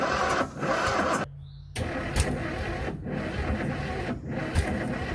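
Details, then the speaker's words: Flood-damaged bull-nose Ford F150 with water in the engine for 14 years, first start on ether: catches and speeds up but runs ragged and uneven; ignition timing sounds way out, distributor to be loosened; exhaust possibly mud-plugged. "it's speeding up it is speeding up um it feels like it's out of it sounds like it's way out of time h yeah I'm going to loosen this distributor cuz it really sounds like it's out of time"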